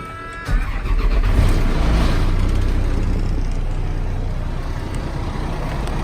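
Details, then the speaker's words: 2005 GMC bucket truck engine, cold start; cranks, catches at once and settles into a smooth quiet even idle, no knocks or misses, no blow-by, a slight bearing noise possibly elsewhere: normal cold start and idle. "the motor sounds perfect very smooth quiet like I said no blow by"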